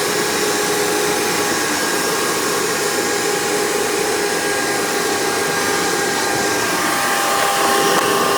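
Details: Hoover PowerMax II U5246-940 upright vacuum (2002), direct-air, 12 amp motor with 20-blade fan, after motor work, running on the hose with tools: even, high whooshing roar with steady motor whine, no rattles or pitch dips. Normal running.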